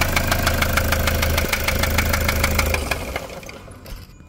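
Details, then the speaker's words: Toyota SW4 3.0 diesel, 2015, with problems after a service: sharp hard knocking about three times a second over the idle, fading as it shuts down; injector or rod suspected at first, traced to a stuck injector. "barulhão né bico biela saia que que você acha que é vamos tentar descobrir agora batid Seca no motor não é mesmo"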